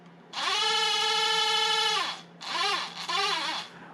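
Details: Used, failed Bosch auxiliary electric water pump from a T1N Mercedes Sprinter, removed and bench-run; a high, steady whine holds for about two seconds, then returns in short wavering bursts: electric pump motor whine.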